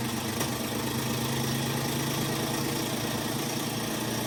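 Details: Kenmore top-load washer: loud steady rumbling drone with buzzing vibration, caused by a worn clutch; fixed by replacing the clutch.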